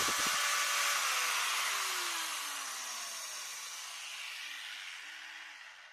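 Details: Maktec MT971 4-inch 850 W angle grinder, being repaired for a shorted armature with a blown commutator, runs a high clean whir then winds down smoothly after switch-off, no rattle or grinding; armature and small ball bearings sound healthy.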